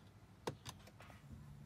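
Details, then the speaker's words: BMW F10 535i N55, press start/stop with battery fine and dash lights on: a sharp single click then a softer one, no cranking; failing starter motor sticking, replaced with Bosch starter. "you turn the engine so you hear something gets sucked in but you know it's like it's likely the starter gets stuck like that's all year the battery is fine"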